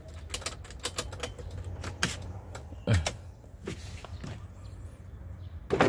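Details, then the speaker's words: Isuzu Panther LS Turbo 2019 power windows tested, driver's side up and down and front left: soft motor hum with switch clicks, no grinding or straining; all power windows work normally. "Ini power window-nya untuk sopir naik turun. Oke, yang depan kiri oke, normal."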